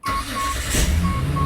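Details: Start after refitting the starter with a rebuilt bendix drive, the old one's spring having given out: brief crank, engine catches and settles to an even idle while a chime beeps; starts cleanly.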